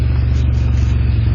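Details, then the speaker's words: 1988 2.8 L engine and transmission, complete with alternator and AC, oil recently changed, new plugs, wires and transmission filter: deep, steady low rumble with even firing pulses, no knocks, ticks or misses; healthy engine at normal idle. "Let's hear it run. Strong. It's a great engine."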